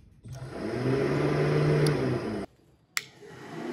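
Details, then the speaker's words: Car radiator fans run directly through a bypass switch, which replaces the relay or ECU control: a steady whirring rush rises, holds even for a couple of seconds, then cuts off cleanly. Normal fan operation, both fans working. "hear the voice look at the fans they both are working turn it off fans"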